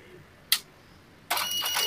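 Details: Epson LQ-2190 dot matrix printer after repair, formerly beeping alarm with no movement: single click then steady whirring rush as head travels; carriage moving normally again.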